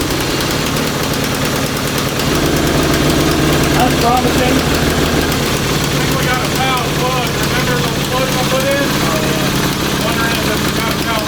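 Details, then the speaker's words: Honda CB750 DOHC 750cc engine with freed stuck valves and a rebuilt top end, running in a cross kart on used spark plugs: low, uneven, stumbling idle with a knocking edge; fouling spark plugs suspected. "i'd say it has some kind of uh like spark plugs fouling or something yeah uh we had problems with the spark plugs before"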